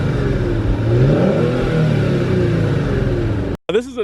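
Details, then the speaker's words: 2019 Kia Stinger GT1 twin-turbo V6 at about 1 year and 10,000 miles, heard from the rear: engine catches, climbs through a couple of smooth revs and settles back evenly, no knocks or stumbles; normal start and rev. "so while we're back here we probably should hear what this twin turbo v6 sounds like right let's crank it up"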